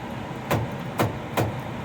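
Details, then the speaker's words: Noritsu 3904s photo processor dryer: three sharp clunks over a steady low hum, about twice a minute, caused by worn drive gear teeth in the dryer drive section; fixed by replacing the gears. "Right there. That clunking sound. When in operation, it's only happening maybe twice a minute, so every 20 or 30 seconds."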